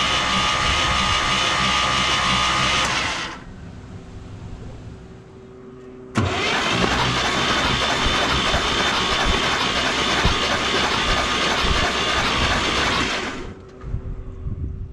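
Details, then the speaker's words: 1968 International 1100C truck, engine from a 1976 Scout II, cranked with spark plugs out to expel Mystery Oil from cylinders: fast even cranking bursts about four beats a second, no compression, stopping and restarting. "we're going to go ahead and crank it over a few times and uh get some of the the juices out of the engine"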